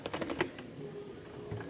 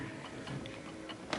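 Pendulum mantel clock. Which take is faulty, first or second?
second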